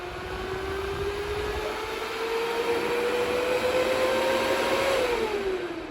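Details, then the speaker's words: DB Werx amplifier fan on DROK buck regulator at its 8.21 V cutoff: whine climbs slowly, then drops in pitch and fades as it spins down, cycling off and back on; fan cycling off at undervoltage cutoff. "It turns off at 8.21, like I said, and then it shuts off and then comes back on."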